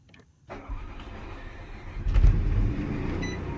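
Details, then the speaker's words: 2007 Jayco Melbourne 29D Class B RV onboard generator started by holding the control-panel button: short crank, catches at once and settles into a steady low drone; normal generator start. "and you'll see that it starts right up you can probably hear that running"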